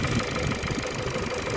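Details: 2012 Ford with robotic gearbox viewed for resale, engine restarted after being shut off: uneven idle with a loose, irregular knocking; engine knocks and runs rough, cause unknown.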